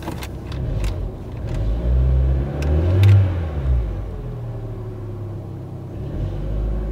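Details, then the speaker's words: Crashed Corsa being rebuilt, first start after refitting the front end: a deep steady engine rumble swells cleanly on a throttle blip and drops back smoothly, no knocks or misses. The engine runs fine. "See there, it's all running fine as it should do."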